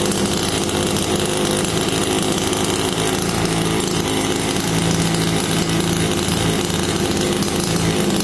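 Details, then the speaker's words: Rebuilt HPI Baja 5B CY 26cc two-stroke gasoline RC buggy engine after full rebuild: steady, buzzy drone with an even beat and no knocks or misses, running cleanly. Rebuild successful, normal running. "And what a delight it is to hear the engine fire up. So the engine rebuild was successful and I'm quite happy with the result."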